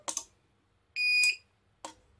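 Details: Jaycar MP5207 UPS after battery replacement, switched on without mains: a single shrill half-second beep with inverter buzz, battery reading 95, normal on-battery alarm.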